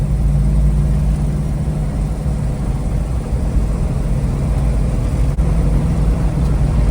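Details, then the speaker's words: 1971 Dodge Charger Super Bee on its first night road test after 35 years laid up and 5 months of restoration; gauge reads hot but owner suspects it reads high: a deep, steady V8 rumble, even, no misfiring; normal running. "Sounds good, no misfiring."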